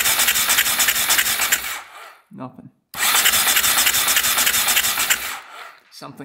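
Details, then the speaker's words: 2001 Husaberg 500cc supermoto, not run in over 15 years: electric start spins engine fast in raspy two-second bursts but it never fires; wet plug shows fuel, no spark found. "You can hear it turning over the engine. Watch this. But it looks like we don't have spark now."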